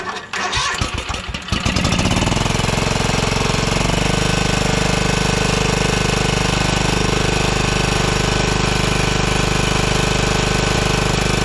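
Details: 2012 Toro TimeCutter SS5000 V-twin zero-turn, after cleaning and refitting parts. A ragged start settles into a steady, lopsided beat, still on one cylinder with the same result. Cause unconfirmed; owner plans to swap parts and check the piston.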